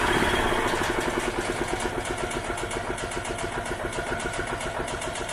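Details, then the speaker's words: 1986 EZ-Go Marathon golf cart running briefly on fuel poured in directly: uneven small-engine putt that fades off; fuel isn't reaching the carb from the tank, and a small carb blockage is possible. "so we just got to make more or less figure out um how to get fuel over there from the fuel tank to the carb and who knows maybe there's a small blockage in the carb or something it's hard to say"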